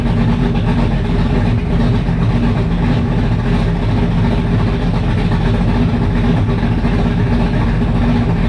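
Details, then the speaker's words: 1985 Mustang GT Fox Body with fresh 347 stroker V8, carburetor, open headers, first fire; loud steady even idle burble, no ticks or knocks; sounds healthy, normal idle. "Other than that, man, it idles. It sounds pretty damn healthy."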